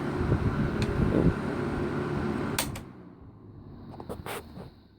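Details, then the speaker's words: 1980s Galaxy 2153A 12-inch box fan spinning down from medium after oiling: hum and blade whoosh fade smoothly with no scraping or rattle; a long coast-down, where before oiling it stopped in about five seconds. "it does have a pretty good spin down time after ariana before i le before I oiled it it did not have as good of a spin down time like only took about five seconds to desktop"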